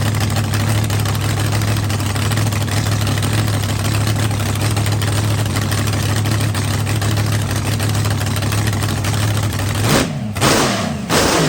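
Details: Rebuilt blown V8 drag car on fire-up after winter refresh, run on the trans brake, RPM switch set at 6,000 for the shift solenoid: steady, even, deep idle about ten seconds, then a quick clean rev blip; no milky oil, runs healthy.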